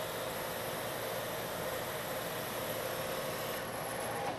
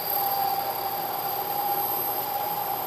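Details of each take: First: Metal lathe turning a long thin part, same depth and speed as the earlier chattering pass but now supported by a machined center: steady, even cutting hiss with constant mid tone, no chatter or squeal, giving a better surface finish. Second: you can hear the noise the chatter and if you look closely you can see a very irregular surface finish what's happening is due to the deflection of the part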